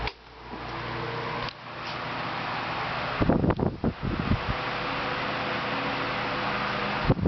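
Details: 1990s Galaxy 16-inch oscillating table fan on high after cleaning and oiling: smooth, even blade whoosh with a steady motor hum and a few brief knocks from handling; the earlier screeching is gone and it runs normally.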